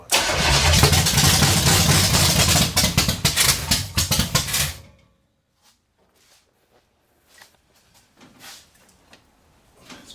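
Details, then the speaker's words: 454 big-block V8 stored 20 years, open headers, distributor just moved; five seconds of rough cranking with uneven sputtering then dies, spitting back through carburetor; owner suspects timing 180° off. "I don't like that spitting back in my face if that maybe I'm 180 off"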